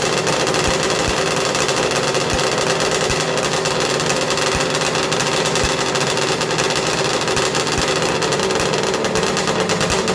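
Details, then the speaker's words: 1994 Arctic Cat Thundercat, rebuilt 1050cc Hooper big-bore triple two-stroke drag build with ceramic-coated pipes, fired up to heat-cycle and purge coolant air locks: loud, raspy, violently noisy idle with quick even buzz and light regular ticks; normal healthy idle. "we're gonna fire it up now we're gonna heat cycle it we're gonna get it warm make sure we don't have any air locks and uh yeah this thing's kind of violently noisy"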